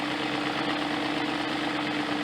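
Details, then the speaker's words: 2000 BMW E38 740iL M62TU after replacing the main drive belt idler pulley: smooth, even idle with a steady faint tone, no chirp or rattle from the belt drive, much quieter than before; normal idle. "it is much quieter than it was before now"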